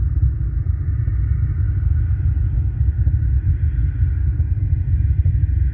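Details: Two Soundqubed HDX3 12-inch subwoofers on a Taramps MD 5k amplifier, head unit at zero volume with slight gain, mic near the port: steady deep droning rumble, with the cones moving slightly; noise entering the amp, source not yet found.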